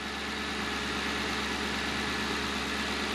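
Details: Crown Vic Police Interceptor V8 idling in the engine bay, with recent Denso coils, NGK Platinum plugs and new battery; transmission has failed but engine is good: steady, even idle with smooth hum and no knocks or misses; healthy engine.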